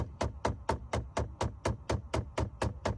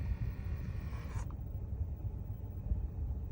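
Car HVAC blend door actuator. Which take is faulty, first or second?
first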